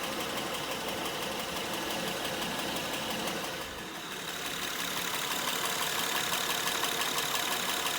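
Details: Honda Pilot 2 engine at idle, hot and cold: fast, fairly even light knock around three per second; internal engine knock, source not pinned down.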